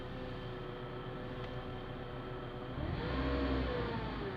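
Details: Manual gearbox DUU after replacing clutch disc, release bearing and input shaft bearing, car raised, wheels spinning in first gear: steady whir rising in pitch with revs; unidentified gearbox noise.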